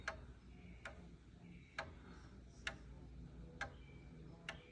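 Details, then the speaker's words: 500-year-old clock, freshly cleaned and oiled: a slow tick at about seventy beats a minute with slightly uneven spacing. A short escape wheel tooth, later confirmed, makes the rocker engage it twice and stops the clock after 15 minutes. "listen for an even tick listen and that was a slightly odd tick I may have a broken tooth on that wheel"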